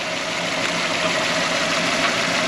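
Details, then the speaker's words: 1998 Toyota Tercel with a cylinder 3 misfire that stumbles when started: steady but uneven, stumbling idle with no clean rhythm. The injector pulse is present, so wiring and computer are fine; the number 3 injector itself is faulty and needs replacing. "Aquí vemos que está pulsando y se puede ver aquí está pulsando O sea que el problema es el inyector como tal"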